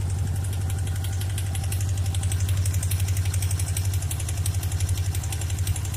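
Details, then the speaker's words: Suzuki Katana GSX 600 motorcycle at idle: regular ticking knock about four per second over the exhaust beat, more on the right side; owner suspects the cylinder head, valve adjustment or camshaft beds. "Ну, по всей видимости, стук идет из головки. Возможно, пора регулировать клапана или же смотреть по стеле распредвалов."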